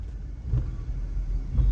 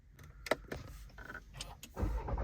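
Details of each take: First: Volkswagen Virtus GT driven over a rumble strip after repair: deep even road rumble with two soft swells, no clunk; the knock previously heard over bumps and during start-stop is now gone. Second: Volkswagen Virtus GT: starter cranks, engine catches with a rough rattling clatter as revs flare; owner reports strange 'kad kad kad' clattering every time the car is started, cause unknown.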